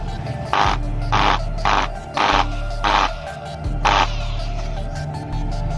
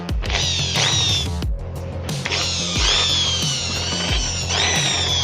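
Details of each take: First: Electric drill with worn casing screw threads that can no longer be tightened: short bursts of harsh, rough whirring; the loosely held bearing wobbles and growls because the casing no longer holds it, not an armature fault. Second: Hand drill after repair of worn casing screws that had loosened the bearing and caused a growling noise: revs in short trigger bursts with a clean, even whine, now smooth like new.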